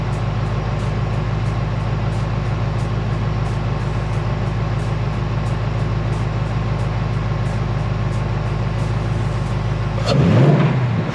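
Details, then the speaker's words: 2024 Mustang GT PP V8 with a newly installed K&N cold air intake: steady burble, then a quick throttle blip with a rising intake rush, clean and healthy; normal free revs. "Alright, so I'd have to say I love it. Doing those couple revs I heard in there, it just sucks the air really nice."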